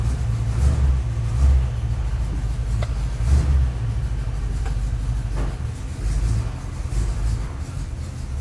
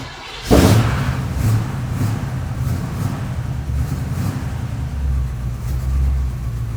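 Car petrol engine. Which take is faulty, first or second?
second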